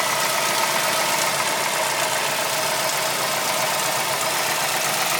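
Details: Mazdaspeed3 (Mazda3 MPS) petrol engine at idle: bright busy clatter with an uneven knocking; owner notes a loose timing chain and suspects rod knock, valves, injectors, lifters, cams or the chain; not confirmed.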